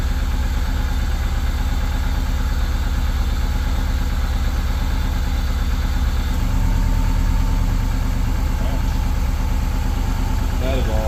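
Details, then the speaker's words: Subaru 2.5RS rebuilt engine, first start after reinstall, warming up: smooth, steady idle with stable low pulse and slight settle, no tapping or misfire; sounds really good, normal idle. "this thing sounds really good yeah it does holy crap right on sounds really good nice"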